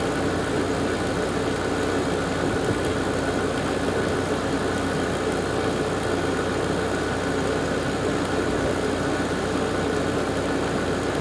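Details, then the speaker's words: Garage A/C at its first start-up of the season, fan and compressor starting together: steady, even hum with no rattles, clicks or cycling; heat coming off it, fan much better than before thanks to new capacitors, normal running. "yeah there's definitely heat coming off of it sounds fairly happy fan sounds great compared to what it was so those new capacitors did the trick"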